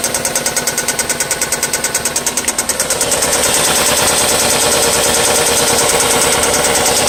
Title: Valve tick or rod knock